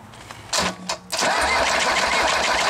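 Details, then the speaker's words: Mercedes diesel being built into a trailer-mounted power unit, unloaded, transmission possibly in fifth or direct gear: the engine spins over and catches, then a loose clattering rattle rides on the running note. Gear rattle; owner suspects gearbox backlash that may ease under load. "i like that sound i'm hearing in that transmission i think that was fifth gear maybe this is direct i think that backlash is what we're hearing a lot of backlash in it"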